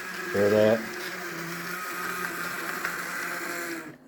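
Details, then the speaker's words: Untested secondhand HO scale model locomotive on track runs with a harsh, raspy grinding drone under the motor whine and stops intermittently; motor or drive is binding and needs to be taken apart. "let's turn that off that's a god-awful sound right there all right so that definitely needs to be taken apart and looked at"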